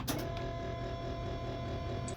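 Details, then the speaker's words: 2014 International 4300 with MaxxForce diesel, electric fuel primer running after fuel filter and water separator service, fifth cycle of priming to purge air. Steady electric motor hum with a faint whine for about two seconds, then a clean cutoff. No filter leaks. "By priming, this is also a good time to see if your filter is leaking. Everything looks good so far. We just continue to prime. We are currently on the 5th cycle."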